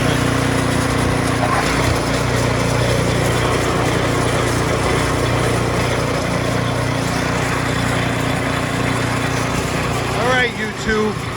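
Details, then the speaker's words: Snowblower small engine after drive belt replacement: runs at a steady, even speed with no squeal or slipping chirp from the belts. The new belt fixed the problem; normal running. "looks like that did it so i changed my belt my order is running again"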